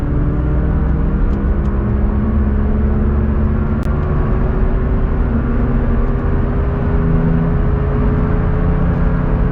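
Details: Rear wheel bearing noise while driving, before and after replacement: steady low droning rumble with a humming tone from the worn bearing, compared with the new one; worn wheel bearing.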